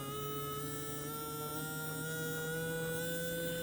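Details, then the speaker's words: Small DC reduction-drive gear motor on a DIY buck-boost portable lab supply, with voltage adjusted up and down to change speed: smooth, steady low whine and electrical hum, no grinding; normal running. "We can hear it moving. That's going to be a nice little portable lab supply."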